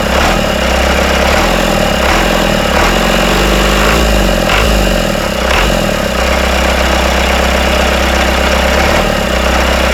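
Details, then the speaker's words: Freshly rebuilt Isuzu 4BD1T diesel in a Hitachi EX120-2 excavator, first start, intake off, at idle: steady idle with loose metallic chatter from the back, suspected loose bolts; rattle stopped after tightening. "I hear some rattling coming from the back I think the uh these bolts are coming loose let me tighten these up"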